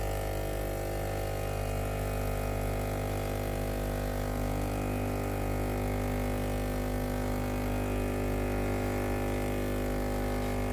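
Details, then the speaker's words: Philips PSG7014 steam-generator iron before repair; it switches on normally but gives no steam. With the iron ready and the steam button pressed, there is only a constant low buzzing hum with no change in pitch or rhythm. The water pump has failed. "ตอนนี้เครื่องพร้อมใช้งานแล้วนะครับเดี๋ยวทำการกดปุ่มจ่ายน้ำนะครับตัวนี้อาการเสียตามที่ลูกค้าแจ้งไว้เลยนะครับ"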